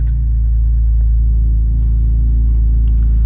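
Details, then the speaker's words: BMW Z4 Coupe N52 idling right after spark plug and coil pack replacement, not yet warmed up: deep even idle rumble, no miss, tick or hunt; normal idle. "Give it a second to prime the fuel pump. Everything sounds good."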